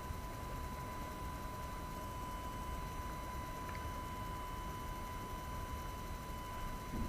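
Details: AFI VS-3SG 3-axis handheld gimbal recorded at night with no background noise: faint, steady high whine of constant pitch from the gimbal motors over quiet hiss, loud enough to be heard in recorded video audio.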